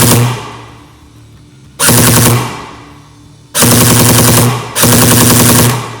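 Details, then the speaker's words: Beta Project Tactical AK airsoft gun upgraded with Modify parts, after adjusting motor height and gear engagement: three crisp full-auto bursts, fast even cycling, quieter and less screechy, higher rate of fire, clean spool-down; normal firing. "Now the motor sounds a lot more quiet and less screechy, and we're getting a higher rate of fire out of this."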